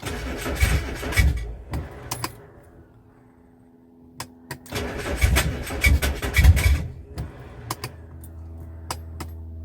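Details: Classic Rover P6 being recommissioned, fuel pump just rebuilt, open exhaust so quite noisy: uneven firing bursts that die away twice, then a low steady hum; catches only momentarily, fuel delivery problem remains.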